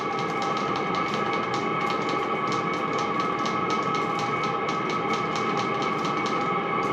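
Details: maXpeedingrods 12V 5kW Chinese diesel air heater dialed to max (5.5 on the screen) and ramping up, drawing about 2 amps from fuel pump and fan; a steady fan roar with soft regular fuel-pump ticking, noisier but not too bad. Normal at full output.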